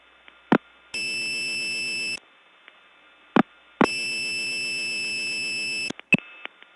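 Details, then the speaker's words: Early-1979 Gainesville, GA step tandem mapping, code 106: a steady high tone of about a second repeating between clicks; unidentified and broken, hard to get off of. "I'm actually not sure what this is but it certainly is something that's broken"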